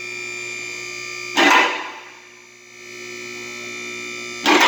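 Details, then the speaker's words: Newly replaced lift motor running: steady, clean electric hum at constant pitch with brief louder bursts; much quieter than before, smooth and healthy. "That's a lot quieter. That's awesome. That thing sounds good. Oh, about to click. Oh, that sounds beautiful."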